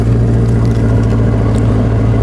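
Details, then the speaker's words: Maserati Quattroporte after new coil packs fixed misfires (still needs two catalytic converters for emissions); deep even idle, steady low drone, no skips; silky smooth, misfire gone; normal idle. "listen to that that is just silky smooth now I'm beautiful little misfire is gone it sounds beautiful"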